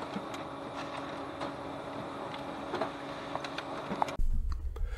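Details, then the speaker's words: Ricoh Aficio MP2000 copier, while copying: smooth, even whir with soft regular paper-feed ticking and no squeaks; the drive runs quietly and smoothly, normal operation. "Now we will make a copy. High work culture of the copier. The drive works quietly and smoothly."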